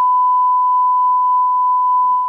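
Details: Rotel RA-985BX amplifier after repair, 1 kHz test tone on speaker outputs: steady pure tone with no crackle or dropout while turning the balance pot, which previously crackled; pot now clean.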